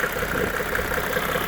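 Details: 1995 Mercedes E300 diesel (W124): an even diesel clatter with steady, regular pulses and no misses or knocks. It idles smoothly and sounds healthy.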